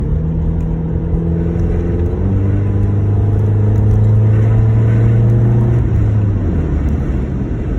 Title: 2009 Honda Accord intake and exhaust leak